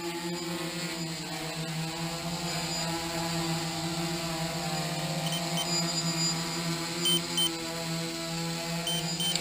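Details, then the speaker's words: DJI F450 quad (stock 2212/920kv motors, DJI 30A ESCs, 5000mAh 3S 11.1V pack) hovering; remote beeps and light flashes as voltage hits the 10.8V early-warning setting, signal to bring it back. "my warning is set to 10.8 and you'll hear a beeping on the remote as well as the light flashing that's my early warning that it's time to I bring the quad back"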